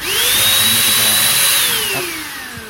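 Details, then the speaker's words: Jaco EZ Hoover vacuum cleaner, reassembled after a rough-sounding rotor blamed on a failed bearing: motor whines up quickly to a steady high pitch, then winds down smoothly with no grinding or rattle; a healthy vacuum motor. "Periksa suaranya. Oke, putarannya lancar."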